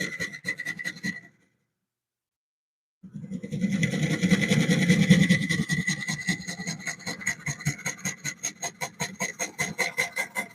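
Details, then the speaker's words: Woodturning lathe cutting a Cypress bowl blank: rough scraping that thumps about two and a half times a second, pushing the tool in and out; the cut is interrupted because the wood is warped and out of round. "You can hear that it's not hitting round. It's hitting a little bit of a bang, bang, bang, bang, bang. See how it's moving me in and out? That's that little bit of a warp that's in the wood."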